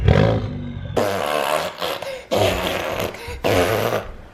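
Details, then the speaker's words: Three sharp rev bursts, each a deep raspy roar dropping back cleanly, from a full-bolt-on car with port fuel injection, front-mount intercooler, catless downpipe and performance exhaust. The owner says it sounds better in person than on camera. Normal revving. "doesn't sound good on camera so it probably sounds like ass on camera yeah but in person that thing sounds really really good"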